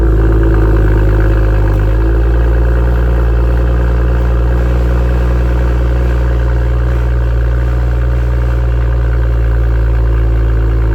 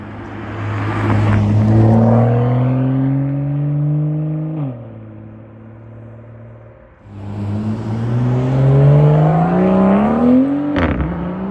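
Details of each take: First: BMW M2 with M Performance exhaust, cold start at high idle: a loud deep drone with a buzzing rattle, the exhaust visibly vibrating for about 10 to 15 seconds and settling slightly as revs drop. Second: BMW M2, about one year owned, M Performance exhaust with valves opened by remote (bypass fitted): two clean rev sweeps, a deep drone climbing and dropping smoothly with no misfire or rattle.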